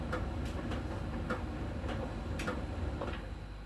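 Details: Miele dryer during drying: light, fairly regular ticks about twice a second over a soft drum rumble. A small ball sensor rolls over the drum and ticks at a contact spot on the drum's outer surface; this is normal sensor ticking.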